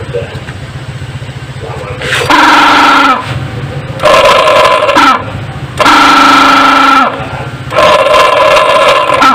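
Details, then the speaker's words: Honda Beat scooter starter motor bench-tested without pinion after pinion cleaning, originally rough and too weak to crank engine; four high rough whirring spin-up bursts, abnormal noise from starter dynamo itself, to be disassembled. "ada masalah di dinamo juga suaranya yang tidak normal kita akan bongkar untuk dinamonya"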